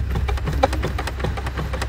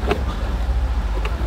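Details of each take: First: Tesla driven over bumps, two years old: irregular plastic clicking and rubbing from the glove box over low road rumble. Two brace strips and a sharp corner had worn the panel, fixed with foam strips. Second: Tesla glove box, about 2 years old, after lining the rubbing braces and sharp corner with foam strips: low cabin rumble and two soft clicks from normal spring and friction, no plastic rubbing noise left.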